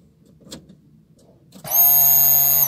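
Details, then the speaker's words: 2013 Fiat Idea flex (Bosch system) that wouldn't start. Newly fitted fuel pump, tested on the bench outside the tank with the key on, gives an even steady electric whine with a low hum; working perfectly. "já está funcionando perfeitamente ok vamos é colocar lá no no tanque de combustível a bomba de combustível no lugar"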